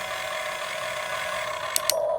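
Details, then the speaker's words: Top Race RC excavator: small motor whines, then two sharp gear clicks as the arm reaches the end of travel with no limiter, believed to be the servo limiting out. "hear that clicking that's because there's no limiter and if continue just trying to push itself the same thing with the bucket it'll go ahead and click I believe that's the servo limiting out"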